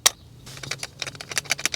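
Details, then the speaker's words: Fuel pump inertia switch removed from a 2003 Ford Explorer with a crank-no-start and code P0232: tapping it trips the switch and the loose ball rattles with light ticks; pressing the reset button makes it solid and silent. "You can hear the little ball in there kind of rattling around, and then you press, and then see it doesn't make any noise."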